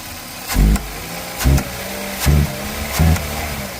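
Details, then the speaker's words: 2001 Toyota Corolla, recently serviced, owner reports it is holding back and not accelerating; four throttle blips rise sluggishly and fall back flat, AC off; MAF signal reaching only about 2.6 V, sensor suspected dirty, to be cleaned: hesitation on acceleration. "So definitely think I might have some issue with this mass airflow. So let's clean it and see if that will help, right?"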